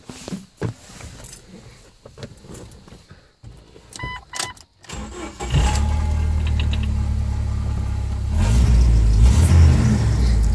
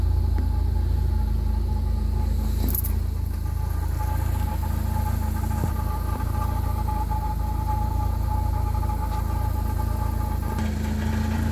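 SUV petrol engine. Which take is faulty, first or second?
second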